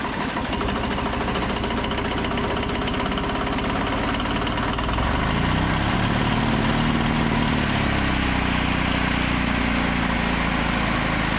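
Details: Old 2-cylinder diesel, believed Cummins, off a generator, on a sawmill; not run in 6–8 months. Steady, even clatter at settled speed, no misses or surging; running normally.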